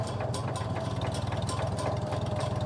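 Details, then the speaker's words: 1949 Farmall M with C248 engine and loader, idling with PTO disengaged and not in gears one to four: steady even putter with no click or tick; the tick appears only when in those gears or PTO engaged. "there's no click it sounds like a farm allall should just a happy little running tractor"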